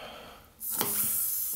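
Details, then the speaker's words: Steady high hiss of air escaping through a car tire puncture as the nail is pried out, before the hole is plugged with a repair kit. "so I'm not losing a lot of air what this is a toolkit probably can hear it sizzling out"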